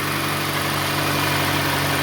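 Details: 2016 Nissan Sentra SV with dead-cell battery, charging at 14.46 V: smooth steady idle with even hum, no ticks, knocks or squeals; normal idle.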